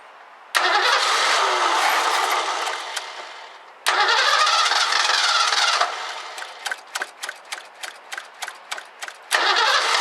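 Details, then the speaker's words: 1984 Ford Mustang GT350 carbureted barn find, on starting fluid: long cranking, quick stuttering catches that fade, cranks again; keeps shutting off, fuel issue suspected, fuel filter to be checked. "all right it's definitely just shutting off so I'm going to see about taking the fuel filter out"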